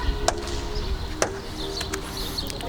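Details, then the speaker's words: 1995 Opel Omega B 2.0i X20XEV, driver's door: two sharp dry clicks about a second apart as door opens; worn door check strap bushing, to be replaced. "вот у нас срабатывать втулка ограничителя двери да она вся щелкает что весь двор слышит что я куда-то еду"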